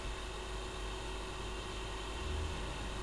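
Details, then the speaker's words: Dell P25F laptop running, also running slowly: constant loud rushing whir with a thin tone, and the noise grows louder. The CPU cooling fan is choked and straining; the fix is replacing the CPU fan. "कितना तेज़ आवाज़ आ रही है और ये कस्टमर को काफ़ी इरिटेट करता है।"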